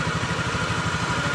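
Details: Honda Vario 110 FI scooter idling with an even, low putter, no stumbles or cutting out, after reconnecting the CKP sensor plug firmly; it had run rough and sometimes died while riding with fault code 52 (CKP). Normal idle.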